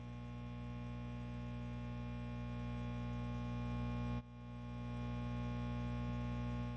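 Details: Mesa Engineering Triple Rectifier Solo tube guitar head not switching channels, with a constant 60 Hz mains buzz in the preamp, steady low hum with buzzy edge; noise changes with effects-loop send control or pulling a preamp tube (V3), cause not yet traced.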